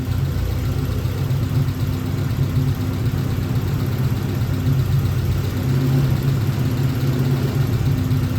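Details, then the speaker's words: Triumph TR4A idling rough: low uneven beat stumbling and surging every few seconds; ignition analyzer shows cylinder two misfiring often, cylinder four occasionally; possibly KV not building fully or too rich mixture, unconfirmed. "so cylinder number four actually goes pretty well well it misfires every once in a while number two is misfiring more often"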